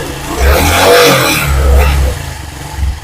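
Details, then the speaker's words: Honda Supra X 125 PGM-FI motorcycle: short throttle blips bring a light metallic clatter ("ngecrek") riding on the engine note; worn, slack cam chain (rantai keteng) and tensioner. "oke ya teman-teman Jadi untuk suara seperti ini ya dipastikan ini suara rantai keteng yang berbu"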